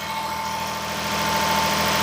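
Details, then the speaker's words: Daihatsu S210P mini truck engine revived after two years out of service with a new OEM camshaft and phaser, 180 psi compression, alternator not connected: steady, even, smooth idle with no knocks or misses; healthy. "Man, this thing sounds good."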